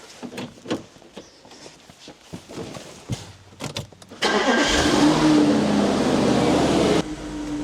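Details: Audi RS5 4.2 V8 after a ground wire was undone and throttle wiring pinned out between ECU and throttles: a few clicks, then cranks, catches at once and settles to a steady, even run; no fault codes, clean start.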